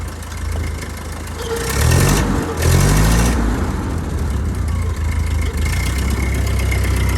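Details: 1949 Ford 8N tractor, about 23 hp, started in neutral with the hand throttle on its first notch: it catches with a few rough bursts, then settles into a clean, steady putter of about four beats a second.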